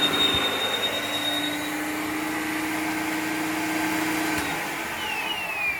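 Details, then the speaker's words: 1993 Hoover Turbopower 1000 U2814 upright vacuum found at the tip, with clogged filters and a full bag: steady motor whir with a thin high squeal on top. Owner suspects a dry motor bearing needing lubrication. Squeak. "squeaky might need lubricating or something there we go anyway so we know it works I think I'll be able to say about motor has just got dry bare"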